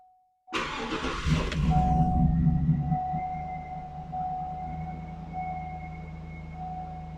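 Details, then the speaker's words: Cadillac Escalade Vortec V8 with 203,000 miles, started after replacing all four O2 sensors and clearing rich-mixture codes on both banks: cranks, catches quickly, settles into smooth steady low idle, no knocks or misses; sounds healthy. "These big Vortec engines sound good. Just thought I'd listen to it a little bit, do some feeling and all that good stuff while she's running."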